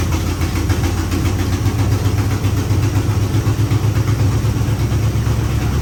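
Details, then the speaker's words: 1956 Chevrolet Bel Air 265 V8, freed from seizure, second-ever start: loud uneven idle with rapid chuffing pulse and raw open rumble; massive exhaust leak, header gaskets shot, one side lacks a gasket to the cherry bomb. "Massive exhaust leak, yeah. I'd say those gaskets are shot on that header."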